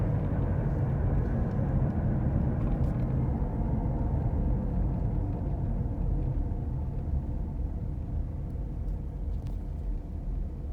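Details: Car recorded from the passenger side while driving: steady low droning rumble under road noise, slightly wavering with speed, heard as a "gogogo, rururu" growl from the tire; failed wheel hub bearing.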